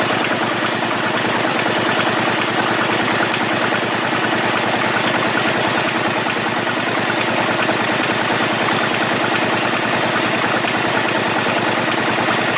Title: Bruit moteur